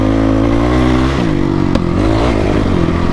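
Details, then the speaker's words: Honda CRF450 dirt bike single with open exhaust and airbox: on throttle lift-off it leans out and gives a sharp pop before revving again, from an exhaust leak with an air gap at the header. Hard starting when hot, possibly needs a valve adjustment. "yeah you guys can hear that exhaust leak every time i let go of the throttle the thing leans out because it's got an air gap right there"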